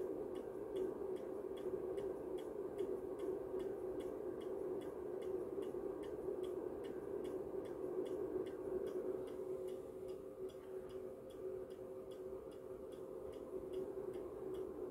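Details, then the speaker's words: MW POWER MW-SC6B charger charging an AGM 12V battery, current judged too strong; sharp even ticks about eighty a minute over a steady electrical hum as the charger pulses hard into the battery. "trochę tu już się zawiesił za mocny ten prąd ale tutaj mamy o coś zaczyna to to już hałasuje"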